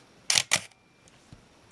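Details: Minolta X-700 35mm film SLR with 50mm f/1.7 lens, shutter test at a slow speed; two crisp clicks about a fifth of a second apart, clean open and close, shutter working normally.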